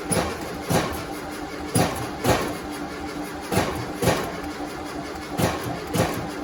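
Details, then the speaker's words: 1972 VW Westfalia, first start in 13 years, new 34 Solex carburetor kit, electric fuel pump, redone fuel lines: short cranking bursts with uneven puffs, never runs; flame from right carburetor and tailpipe puff show some spark, cranking no-start. "got a flame come back out of the right carburetor okay yeah and it's steamed then there's smoke steam something rolling out"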